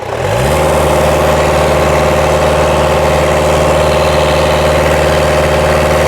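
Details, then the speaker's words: 2010 Ford Ranger (Mazda BT50) 3.0L turbo diesel at operating temperature, P0107 MAP fault: with the pedal floored while intake cleaner is sprayed into the inlet, it holds a steady, flat drone, limp mode capping revs at about 2,400 RPM. "Well, because it's in limp mode, it's being limited at about 2,400 anyway."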